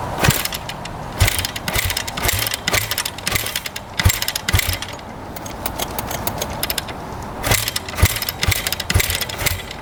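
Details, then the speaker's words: 2009 Kawasaki KX250F four-stroke dirt bike, original carb, choke out, fuel on: repeated kick-over strokes with soft, uneven thumps and no firing; won't start, feels like pretty low compression. "yeah that's a noo does not want to fire up feels like it's pretty low compression when you're kicking it over"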